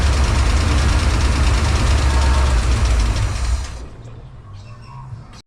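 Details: Holden V8 project car, unused for a while, after fresh fuel and new spark plugs replacing several broken or missing ones: deep lumpy rumble settles into idle for a few seconds, then fades and quits.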